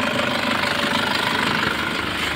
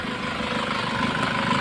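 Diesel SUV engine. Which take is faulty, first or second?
first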